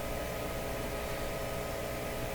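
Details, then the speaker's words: 1929 Victor RE-45 radio after crackling noise disappeared: low, steady, constant hum under faint hiss that wasn't there before; cause unknown, possibly tuning-related. "that's a very strong hump I don't remember there being hum like that before"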